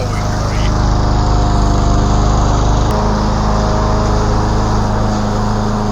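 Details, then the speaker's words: 2012 Yard Machines 11A-A54R729 mower, Briggs & Stratton 158cc 500 Series, new HIPA carburetor and tune-up kit; next day, cutting 4–5 inch thick growth, strong steady drone with brief pitch dip, no bogging: running well under load. "This is a really good basic mower with good power. Some of this stuff was pretty thick and tall I was cutting through and it powered right through it and never really bogged down."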